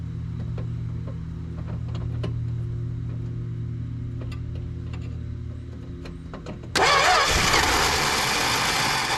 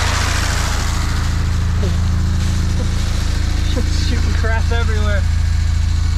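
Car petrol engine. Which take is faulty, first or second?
first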